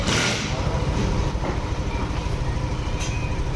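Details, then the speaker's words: Yamaha Aerox/NMAX scooter after installing a ceramic AdPro socket (anti Error 12) and greasing the screw end: steady fast engine beat with a busy, slightly rattly drive noise, which the owner attributes to the CVT. Scooter now runs normally. "Ayun, pakinggan mo. Wala yan dati. Kasi CVT niya yun, no? Dito yun. Ayan, okay na. Gumagana na"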